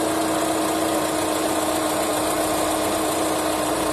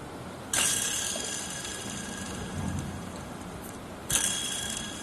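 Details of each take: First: Honda CR-V after the belt tensioner pulley bearing was replaced: a steady, even idle hum with no whirring, chirp or grinding from the belt drive. The noise is gone; normal idle. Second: Removed belt tensioner pulley spun by hand, coasting down with a gritty, rough whir from a worn bearing; fix is pressing in a new bearing, after which the noise is gone.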